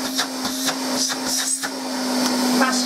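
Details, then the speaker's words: Hoover Constellation cylinder vacuum cleaner running. A steady, even motor roar with a constant low hum and strong airflow rush shows a healthy motor with plenty of suction. "masses of suction more than you'd need and and no gadgets no electronics no flashing lights everything"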